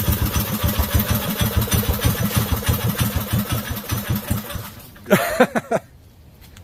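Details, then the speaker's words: Briggs & Stratton 5hp mini chopper with CVT belt drive at cold idle, idle turned down low so the belt unhooks; a slow, uneven single-cylinder putter that stumbles as if about to stall. It needs warming up; normal cold idle. "I was thinking it's going to die. It needs to warm up a little bit. I got the idle turned down low."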